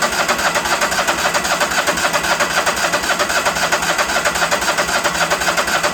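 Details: Ford tractor: steady rhythmic cranking about four beats a second, even and unbroken, never catches; acts like it's not pulling fuel, solenoid not heard clicking; crank no start, cause unconfirmed.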